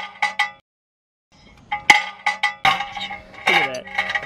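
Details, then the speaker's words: Subaru Legacy, engine off, rocked by hand at the roadside: sharp ringing metallic clinks from a rock trapped between the left front brake dust shield and rotor; loud metallic noise in drive, worse when rolling. "it's in between that dust cover there and the and the road or something stuck in between that dust cover and the rotor"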